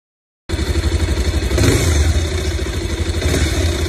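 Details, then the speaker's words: New Bajaj Pulsar 220F on main stand at idle, noisy since day one: thump about four pulses a second with a light clattery tick, growing louder as the engine warms after 10-12 km; cause unknown. "क्या ये देखो कितनी आवाज बढ़नी शुरू हो गई क आवाज है ये कंटिन्यू आ रही है हां जैसे कुछ चीज मतलब शोर कर रही हो"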